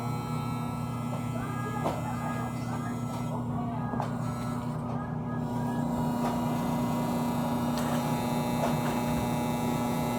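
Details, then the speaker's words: Air conditioner condensing unit running and cooling normally: constant low electrical buzz with steady hum, not changing with load; stops when pressed down; owner suspects loose front grille/cover or fan motor, source unclear. "uh when i push it down a little bit the noise stops when i let go of it the noise comes back on again"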